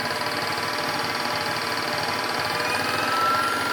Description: I'm not sure if this clicking noise is normal.